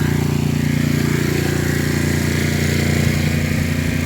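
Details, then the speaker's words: Coleman Powermate 6250 generator on its bottom receptacle running an air conditioner with the compressor on: steady, even engine drone with no hunting or surging; holds the load normally for about 10 minutes. "got the compressor on on this air conditioner it's just a humming"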